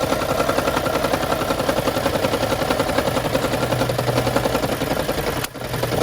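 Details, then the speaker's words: 2013 Lexus CT200h hybrid with check engine light; fast regular rattle about 160 a minute at cold start every morning until it returns to hybrid mode; fixed by spark plug replacement tune-up. "also to get rid of the sound this is the sound that he was making every morning once i started the car so"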